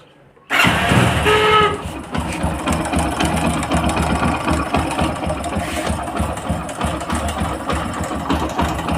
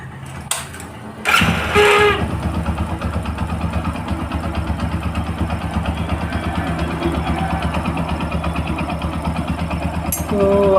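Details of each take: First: Motorcycle engine with a loose timing chain, heard before the chain is replaced. It catches and settles to an uneven idle with a fast, light knocking rattle riding over it: timing chain rattle. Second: Motorcycle after timing chain replacement to cure chain noise: starts promptly and settles into an even, steady idle with no chain rattle or ticking; sounds healthy.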